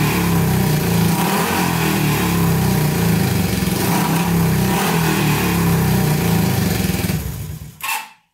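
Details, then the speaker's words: 1970s Honda CB350 barn find, 5,000 miles, sat for years, running on fed fuel without tank; both cylinders fire evenly with crisp steady beat and rev cleanly, running well, something burning off as it heats. "we put more gas down it and uh both both are running great and now it rubs up and stuff"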